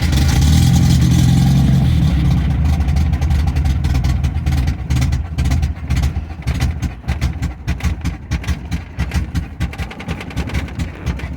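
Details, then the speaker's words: MGB, warm, choke pushed fully in after a soft collapsing vacuum line was addressed, following power loss above 3000 rpm on the highway: after a brief rev the idle sags and stumbles unevenly, barely running without choke; owner suspects fuel starvation; rough idle. "all right i'm not happy i don't know why i need choke to keep this running listen to it it sounds like it sounds horrible so"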